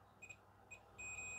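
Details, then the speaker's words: Multimeter in diode-test mode probing a switch track on the main board of an LG FC930W VHS VCR: two short high beeps then a steady held beep, clean and clear; meter reads continuity normally. "so I've got my meter to set the diode test so you should be able to hear that"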